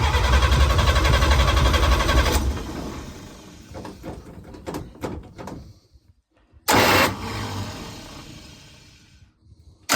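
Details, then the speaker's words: 1954 International Metro van, engine just installed, temporary fuel supply and only electrics hooked up, with battery and connection problems: the engine cranks steadily twice but won't fire. Owner suspects no spark. "That's acting like it doesn't have spark."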